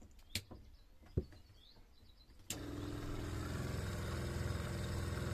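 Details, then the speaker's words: Old water pump in a Clemenson camper on a Mitsubishi L200: after a few clicks it runs with a steady low buzz and faint hum but has no suction at the inlet; owner judges it dead and replaces it. "il y a aucune aspiration là quand je mets mon doigt ça devrait être beaucoup plus fort que ça donc elle est elle est décédée"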